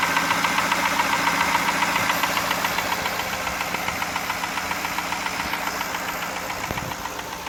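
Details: 1999 Jaguar XJ8 with 122k miles at idle: sharp, steady metallic bottom-end knock about three to four per second; owner suspects a spun rod bearing from low oil level caused by a valve cover leak and high-mileage oil consumption.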